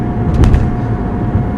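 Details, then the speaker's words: Toyota RAV4 driving after transmission swap to cure a shudder/vibration once blamed on a flapping undercarriage panel: steady low drivetrain rumble, no shudder, thump or vibration; car running great. "I mean now looking back obviously it makes a lot more sense now but but the cars running great so"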